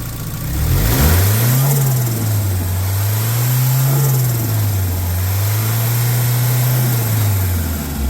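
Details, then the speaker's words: Nissan S12 with SR20DET turbo swap, exhaust joint to turbo dump pipe sealed with JB Weld, gasket and exhaust paste; revs rise and fall back to steady idle, deep even note, no hiss or puffing leak: normal exhaust, sounds much better. "that sounds much better"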